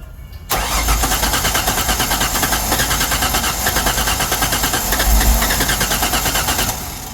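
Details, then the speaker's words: Ford Sport Trac no-start, compression test during cranking: fast, even starter cranking that never fires; this cylinder reads only 40 PSI (60 PSI on all cylinders yesterday, at least 100 needed), after oil was poured down the cylinder yesterday; low compression. "go it's trying to start all we got here on this cylinder today is 40 PSI how about that"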